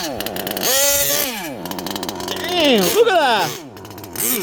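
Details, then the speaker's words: HPI Savage Octane gas two-stroke RC car, still breaking in, after a transmission teardown and shift-point tuning; owner says the carb is still set rich and will tune it better later. The engine revs and falls back with a soft, blubbery edge, not a crisp scream. "I need to keep running it, you know, and let it loosen up, so it could run even better, and I could do a better tune on it. I still have it rich."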